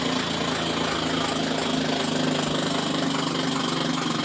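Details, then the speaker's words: Samsung washer with 3C3 error, spin cycle: the small plastic part on the drive motor is slipping, producing a loud, steady rough whirring roar. The whole drive motor assembly must be replaced. "You hear that noise, it's slipping, and because of that you have to replace the whole assembly."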